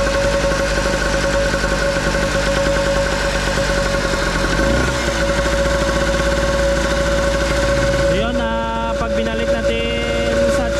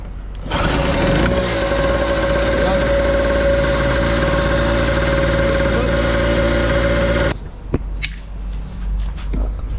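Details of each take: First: Nitto two-stroke generator that would not start, now running: steady buzzing drone holds only with the choke butterfly partly open, dies with the choke set otherwise, then hunts; clogged carburetor. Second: Nitto two-stroke generator that would not start (no power supply to the spark plug, CDI), after repair: steady, even, fast buzzing run with a constant whine, no hunting or misses, then shut off; running fine though one part still needs replacing.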